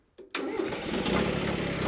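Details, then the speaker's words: Kubota B7100 diesel tractor after replacing its 7-year-old 51R battery with a cheap new one: silence, a brief crank, then it catches at once and settles into an even mid-pitched idle, a healthy quick start. "Oh, look at that. Well, there's one good start out of what hopefully becomes several hundred, even thousands out of this cheap battery."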